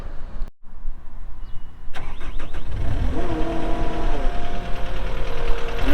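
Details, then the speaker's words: 2018 Caterpillar 262D skid steer diesel, 1,242 hours: silence, short crank, then settles into an even, steady idle with no knocks or misses; normal start and idle. "We'll fire it up and get right into an operational video."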